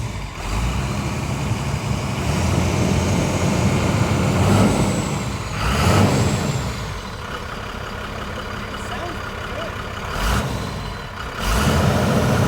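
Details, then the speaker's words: Motorhome with 39,000-mile Cummins 12-valve diesel, in yard, no brakes: deep steady diesel rumble with occasional air hiss and rattles, no knock or miss; sounds healthy. Normal running. "Well, it runs, and it honestly sounds pretty good. I mean, it sounds like a 39,000 mile 12 valve should."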